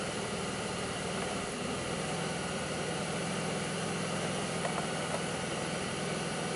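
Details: 2002 Pontiac Grand Prix 3800 with a steady low idle and a slightly uneven, lumpy beat, no clear thump this time. Owner reports bogging, intermittent thumping, alternator overheating and no check-engine light; cause not evident.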